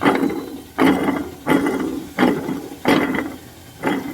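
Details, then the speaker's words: 2022 Mitsubishi L300 FB: hand-spun idler pulley gives a dry gritty rasp fading out, about every 0.7 s; the idler bearing is worn and caused the engine noise, not the alternator; quiet after bearing replacement. "Kala mo bakal, kaya pala sobrang ingay niya. Tingnan natin to kung napapalitan ng bearing."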